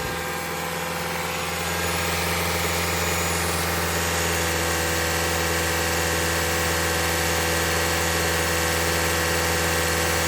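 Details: 2021 Toyota Camry Hybrid, 100,000-mile service, running to bleed air after changing engine and inverter (power control unit) coolant; about 5 minutes in, radiator fan kicks on for the first time; steady, even fast-idle hum with constant fan whoosh; normal running.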